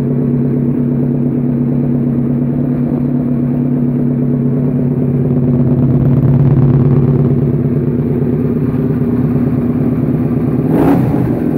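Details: Suzuki SV650 twin, a self-built "supertwin" project, running after a rebuild. An even loping beat with a gentle rev rise and fall, no clatter or misfire. Engine sounds healthy.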